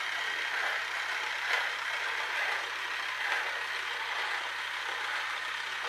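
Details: Electric toy train styled like a clockwork toy, with a broken split drive gear and no replacement fitted. A steady small-motor whir with faint ticks as the gear skips a missing tooth, momentum carrying it over the broken gear. Mostly still failing.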